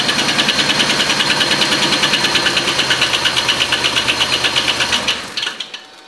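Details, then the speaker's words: Oldsmobile Silhouette van after sitting long, idling: quick even ticking about three times a second from the top end over an uneven idle, quieter and smoother when revved; cause was a loose rocker arm bolt, causing noise and misfire. "And you can kind of hear it. It sounds like it's coming from that area. We'll rev it up a little bit. And you see it sort of goes away. At least you can hear it less. And the engine actually smooths out a bit."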